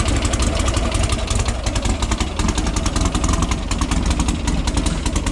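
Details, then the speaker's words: VW flat-four dune car, cold start after a new carburettor and spark plugs: even, throaty pulse at steady idle with all cylinders firing, much better than before; normal idle. "That's a cold start. Does it look good? Hear them all firing too, it sounds good."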